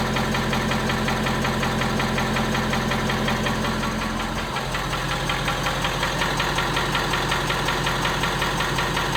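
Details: 2017 Ford F250 Power Stroke diesel, cold start idle: regular knock about two beats a second over the clatter, subsiding as the truck warms up; engine knock on cold start, cause unconfirmed.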